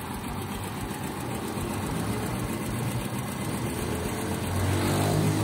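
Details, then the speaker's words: Honda Biz 100 after rebuild with all new gaskets, exhaust fitted, idling: steady, even, quiet putter with no knocking or tapping; normal idle. "tudo arrumadinho tudo limpinho e olha a marcha lenta dessa moto silêncio"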